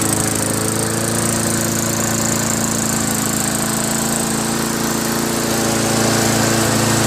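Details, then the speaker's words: Craftsman Eager 1 mower with Tecumseh engine, after fixing a recoil starter that scraped the butterfly and adjusting the idle screw and tightening the spring: smooth, steady speed, no rattle or surging; running healthy. "No rattling sound. Adjusted the screw. And now it doesn't surge."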